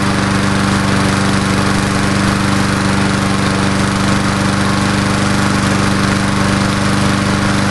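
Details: Old Murray Dynamark 22 mower, 3.75hp Briggs & Stratton, just started after about seven years stored, fresh gas, smoking a little: steady, even drone with firm hum, no misses or knocking; normal idle.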